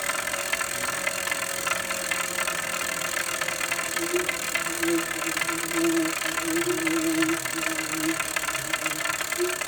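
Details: Saris Hammer H2 turbo trainer after only 6 months' use: dense, buzzing rattle runs steadily from inside while spinning, over a faint falling hum.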